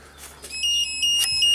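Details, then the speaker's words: 1992 Genie boom lift that stalls in platform mode: switching from ground to platform control, a steady high-pitched beeper comes on continuously and water light goes out; wiring fault suspected, no feed on CR4 from platform. "the Beeper comes on and this light goes out interesting so there's definitely an issue here"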